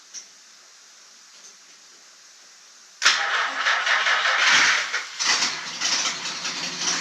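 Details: 1949 Chrysler that sat 60 years, after the starter solenoid was repaired and gas was splashed into it: the starter cranks and the engine catches and runs. Revs are uneven, from a fuel-starved start.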